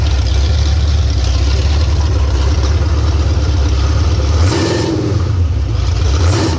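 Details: 351 Cleveland V8 on a home-built run stand with open headers: loud, rough-edged exhaust pulling up and settling with throttle, no knocks or ticks; normal running and revving.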